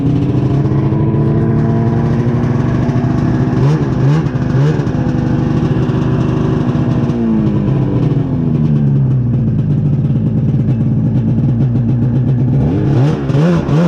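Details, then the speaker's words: 1999 Ski-Doo MXZ 670 HO snowmobile, which others had tried to set up for drags, before carburetor idle screw adjustment: two-stroke buzz well above normal idle, wandering with brief blips, never settling low; high idle. "this one does have a high idle issue um i know before i got a hold of it some people were trying to set it up for drags"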